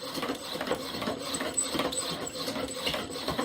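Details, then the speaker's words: Heavy, off-centre wobbly pump drill spinning cedar on pine while warming up: sharp high squeaks, two or three a second, with each spindle stroke; squealing friction and glazing instead of grip, possibly from oil on the wood (suspected, not confirmed). "now you hear all that squeaking sounds like there's a bit of oil in there or something you can tell by the sound we're not getting the friction that we want it's really just glazing"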